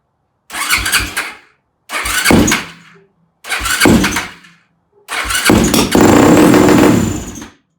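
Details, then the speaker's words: Yamaha YFZ450 single-cylinder quad after rebuild, started on choke: four short cranking bursts barely catch and die, last runs seconds then stalls; hard starting, no flames this time, owner suspects too lean, possibly a carburetor float problem. "Well, it didn't shoot flames that time, so I'm guessing we're too lean, and I'm guessing it's the float that's the problem."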